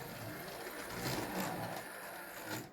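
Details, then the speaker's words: New 2023 Hornby Railroad R3031704 M&GNJR 0-4-0T 'D' (Dowlais) tank No.100, run faster after a wiggly, controlled slow start: quiet high whir with gritty, uneven grinding from gear or motor; reviewer suspects the body isn't seated right, cause unclear. "now I have to say it's making some funny noises though whirring and grinding noises"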